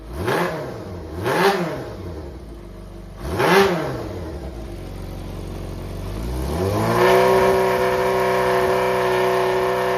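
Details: Yamaha XJR400 removed running engine assembly: crisp throttle blips rise and fall cleanly, then a smooth climb to a steady high idle with no knocks or rattles. No abnormal noise or white smoke, and compression has been tested; a healthy four.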